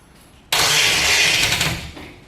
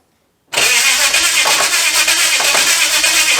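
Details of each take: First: HT Holden 253 V8 swap, first start attempt on a weak 6-cylinder battery: one loud sharp cough with a hiss while cranking. It is backfiring through the carburettor, and the owner suspects the distributor is installed 180 degrees out. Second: HT Holden with a swapped 253 V8, first start on straight headers with no pipes: fires at once into a loud, crackling, lumpy run for about five seconds, a healthy start.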